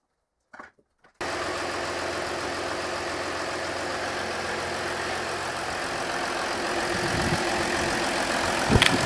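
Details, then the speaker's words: Mercedes ML320 CDI W164 diesel a week after "black death" injector seal repair and reinstall: catches quickly and settles into a steady, even idle clatter with no knocks or misses. Repair successful. "I've included a clip of the engine running a week after I completed the repair at the end of the video."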